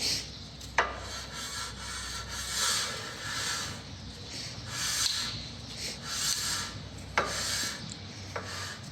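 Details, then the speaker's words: Toyota RAV4 rear brake job, new disc, parking brake adjuster wheel backed off a few notches after biting: faint scraping rub rising and falling as disc is turned by hand, shoes just making contact; correctly adjusted. "So you can just hear it, it's just making contact."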